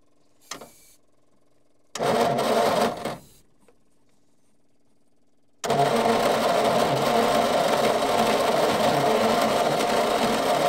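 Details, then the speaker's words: Old petrol Bedford six, roughly early 60s–mid 70s, sitting 10+ years, two cylinders without compression, fed from outboard tank; slow cranking about four turns a second, no start, flooding; owner thinks starter lazy, may add second battery. "It started to flood, but we might hook up a second battery just to try and give it a bit more power, because I think the old starter motor is pretty lazy."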